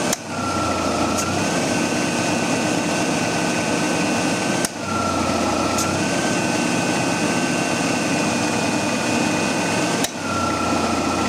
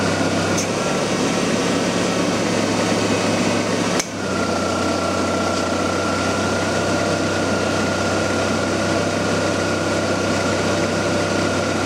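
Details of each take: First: 1994 Ford Ranger, engine running while charging R134a: sharp A/C compressor clutch click about every five seconds with engine note changes, short cycling from low refrigerant; it stops cycling once enough charge is added. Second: 1994 Ford Ranger A/C being charged with R134a, engine running: steady compressor hum with faint whine and one early click, then no on-off cycling; enough refrigerant pressure now holds the low-pressure switch and clutch engaged.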